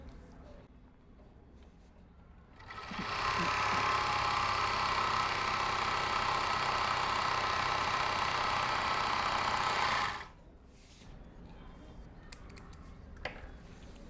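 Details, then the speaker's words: Overlock sewing machine after fixing needle bar/looper touching problem, stitching on jeans, unedited original sound: even, fast stitching rhythm about four beats a second, smooth with no knocking or rattle: normal running. "यह आपको जो मैंने machine चला के दिखाया वह machine का original आवाज है। इसमें मैंने कोई एडिटिंग नहीं किया।"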